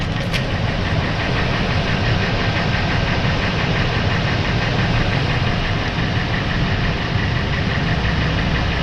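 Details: Ford 5.4 V8 warm idle after engine warmed up: low, dull knocking within a rough, heavy rumble; possibly piston slap, cause uncertain.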